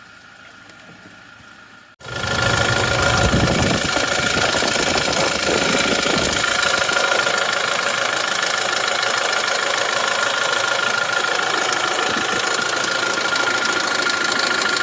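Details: 2020 Toyota Hilux SR5 diesel, 95,255 km, cold start during pre-purchase inspection: busy idle with fast, light metallic rattle apparently from timing chain area; not a confirmed diagnosis, further checks needed.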